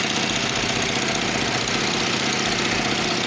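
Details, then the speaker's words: Kawasaki Vulcan 500 twin idling with a ragged, uneven beat, carburetors totally unbalanced on vacuum gauges; carb bowls had old green gasoline and stuck parts, before synchronization. "Okay, well, they are totally unbalanced, let's see if I'll show you."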